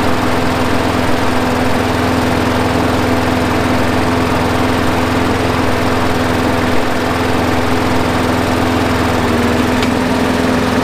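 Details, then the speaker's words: Craftsman 21" push mower, Briggs & Stratton 6.75, after carburetor cleaning and a new spark plug and air filter: even, steady single-cylinder drone holding one pitch, no misses or surging; idling smoothly. "it's already running better i just let it sit here and run for 20 minutes and the longer it runs the better it gets"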